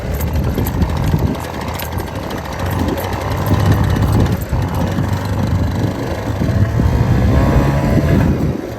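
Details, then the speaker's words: 1978 Honda Hobbit two-stroke moped, 240 original miles, just revived after a plugged carburetor, running outside in the rain: a raspy buzz that surges and sags with throttle and steadies slightly. It runs better the longer it runs; uneven running while warming. "on also it's raining now it's like the more it runs the better it gets"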